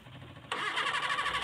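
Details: Mitsubishi Colt 120SS petrol engine, previously hard to start, after work on the cable to the distributor: engine catches immediately and settles into a steady, slightly busy run.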